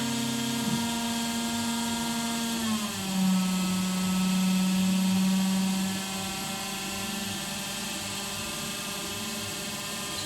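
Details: Carvera Air benchtop mill, spindle apparently around 12,000 rpm, air assist on, first cut of clamp parts from Fusion 360 G-code: high spindle whine slides down in pitch mid-cut and stays lower — spindle slowing under load.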